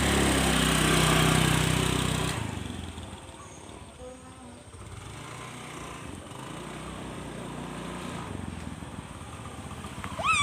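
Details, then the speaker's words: Honda Scoopy carburetor scooter, full throttle test: roars hard two seconds then sags to weak, lumpy drone, bogging and sluggish pull; CVT, engine and carburetor to be stripped and re-tuned. "Gasnya tuh lambat, berebet, lelet ya, pokoknya seperti itu ya."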